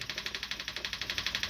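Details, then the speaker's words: Old electric fuel pump draining a tank of 91-octane gas sitting since 2012, described as on its last leg: a thin, hissy whir pulsing about thirteen times a second, labouring and uneven. It sounds like a worn pump. "I feel so bad for this fuel pump that thing is just sitting there on its last leg you can just hear"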